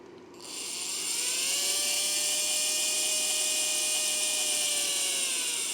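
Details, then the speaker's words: Shrill, steady whine with a coarse rattly edge from a motor under trigger control, powered at 7 V from a RIDEN RD6018W supply and drawing high startup current; owner thinks the motor bearing is shot. "Yep, okay, so if I squeeze this, the bearing is, I think the bearing is shot in this motor, that's why it's making that noise."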